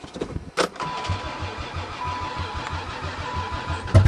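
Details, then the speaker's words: Chrysler van unstarted since 2006, battery from a Toyota, ether down intake: steady starter cranking with uneven firing pulses, tries to catch but never settles, brief sputter; owner questions if injectors fire and battery seems weak. "aren't the fuel injectors firing uh-oh why isn't that battery working very well let's do some more ether that's the trick"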